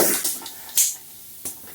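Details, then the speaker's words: Old bicycle inner tube, removed and pumped up to test: sharp steady hiss fading then returning in spurts, air escaping through a big hole, probably a pinch flat; tube is junk, not patched. "nope stir here the leak so this tube is junk yeah big hole probably a pinch flat from right down low"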